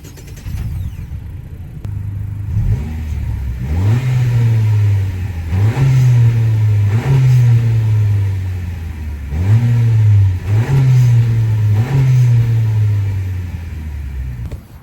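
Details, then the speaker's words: 2024 Honda Accord EX turbo, engine warm, hood open, heard from the back: steady idle with several clean, even rev blips; engine running normally. "that was a couple revs on the car. Now I'll take you guys to the front of the car so you can hear the turbos. But don't worry, the car is warm."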